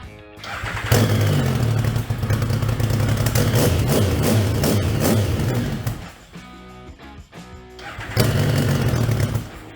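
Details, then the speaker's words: Yamaha Banshee 521 Supercub two-stroke ATV set up on methanol (28cc domes, case ported) cranked by a jump starter pack on an undersized lithium battery; starter spins the engine briskly and evenly in two bursts without labouring, healthy fast cranking. "Yeah, you see, hear how quick that spins?"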